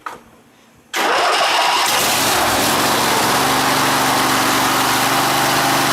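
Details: Rebuilt 21 hp Briggs & Stratton V-twin after a fiddly governor adjustment: cranks briefly, catches at once and settles into a steady, even run with no surging or hunting; successful rebuild, normal start and run.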